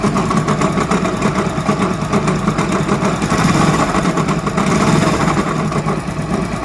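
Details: Hero Honda motorcycle engine idling with a rough, rapid knocking rattle from deep inside the engine: a worn crankshaft bearing.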